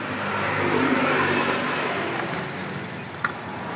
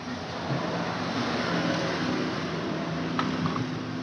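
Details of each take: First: Scooter CVT centrifugal clutch (kampas ganda): engine revs, then on a sudden throttle release a rough, regular knock comes from the clutch as it drops off, pointing to worn clutch shoe holder holes. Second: Scooter CVT centrifugal clutch after the repair, fitted with one part instead of two, since two sat too high and caught to make noise: engine revs up and settles with no scraping or rattle as the clutch engages.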